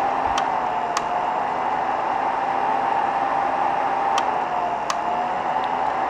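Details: BI V2.5 3D printer with a Rumba board, heard from under the printer: four sharp isolated clicks at uneven gaps over steady fan hum and a faint tone. The heat bed is clicking; cause unclear.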